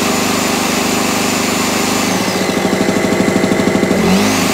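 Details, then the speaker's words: Small single-cylinder generator after a new spark plug and carburetor clean (it prefers choke): settles into a steady, even beat with no misfire or surging. Normal running. "But yeah, I think also a bit of a clean in there, a bit of contact cleaner in there. But new plug, carburetor clean, and away she went."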